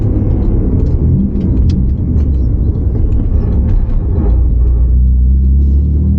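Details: R31 Nissan Skyline RB30 six-cylinder on a test drive after fitting a Holden VL Turbo ECU and brown-top injectors; ran cool. A deep, even, smooth rumble with no knocks or misses. Running fine, with more midrange pull.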